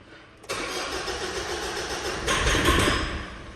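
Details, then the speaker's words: Mitsubishi 4D56 diesel with code P1275: cranks nearly two seconds before catching, then runs rough with vibration and hard knocking from excess rail pressure. "تاخير بالتشغيل مع صوت طق نحاول مره ثانيه نشوف المحرك نلاحظ اهتزاز يا اخواني بمحرك السياره بالاضافه الى صوت ط طقطقه"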